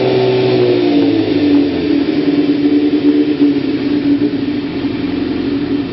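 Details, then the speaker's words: 1992 Kawasaki ZZR-600 (ZX600D) after renovation with new chain, sprockets and brakes, probably stock exhaust: starts and runs with a smooth even note through a few throttle blips, no knocks or rattles; sounds healthy. "listen to what it sounds like and starts up not bad I think it's a stock cly exhaust"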